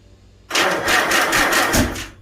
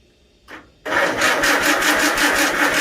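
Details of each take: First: Farmall Super A tractor after a magneto rebuild, with the choke on. Spark is present, but the starter cranks in heavy uneven surges and the engine never catches; owner says the ignition timing is off. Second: Farmall Super A tractor after the magneto was reset and ignition timing adjusted, with the choke off and fuel on. After a brief crank it catches and runs with a firm rapid beat, sounding much better with more throttle.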